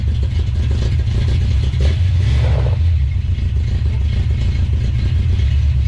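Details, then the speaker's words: 1970 Plymouth Duster 340 V8, first start attempt: heavy, lumpy rumble while revving with an uneven beat and stumbles, missing on some cylinders; owner thinks it's probably an old worn-out truck engine; engine misfire. "so it is indeed missing you can hear it um that's probably just an old worn out truck engine"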